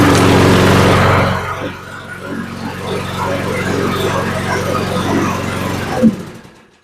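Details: Troy-Bilt mower's small single-cylinder engine after tune-up (new plug, oil, filter, blade area cleared, internal rattle found), running at a steady even beat with no rattle or scrape, then shut off; sounds healthy.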